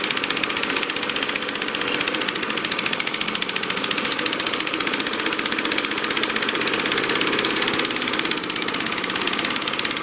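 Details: Acto lawnmower with new filter, cleaned and checked plug, fresh SAE 30 oil and electronic ignition: bright buzzing single-cylinder engine holds steady speed for ten seconds, no hunting, knocks or misses; healthy running.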